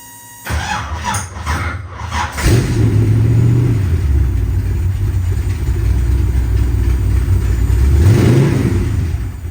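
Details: Ford 427 side oiler V8 in a 427 Cobra replica, Holley-fed, after wiring repair with new circuit breakers: short crank, catches at once, blips up and settles into strong even idle, no misses; normal start and idle.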